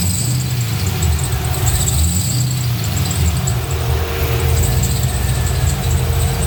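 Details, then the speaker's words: LS-swapped Datsun 280Z V8 idling warm at 135° coolant temp; a thin, high belt squeal wavers over the idle and gets much louder when the A/C is turned on. "here it goes here the squealing now when i turn the ac on it squeals a lot"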